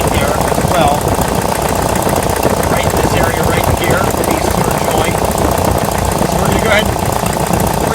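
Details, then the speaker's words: 2001 Jeep Wrangler TJ 2.5L idling: loud, rapid puffing tick in time with the firing; exhaust leak at the joint where the exhaust pipe meets the manifold, held by two 14 mm bolts. "we're gonna go ahead and start up the vehicle so you can hear it and you'll be able to hear the air coming through there"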